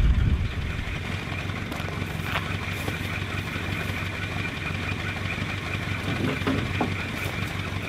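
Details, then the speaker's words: Land Rover Series 1 petrol engine on a Wales road trip: steady low drone with a slightly uneven beat underneath; the engine has lost power and sounds like it is misfiring. "I'm just taking road for a little bit quicker and a little less steep because I haven't got the power in the engine anymore"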